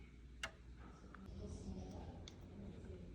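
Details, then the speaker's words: 16th-century Dutch pendulum clock, dust-seized, being cleaned and balanced by ear. Faint sparse ticks fall at lopsided spacing over room hiss, an uneven beat. It was later confirmed to be a short tooth on a wheel, passed on each side of the rocker mechanism. "listen for an even tick listen and that was a slightly odd tick I may have a broken tooth on that wheel"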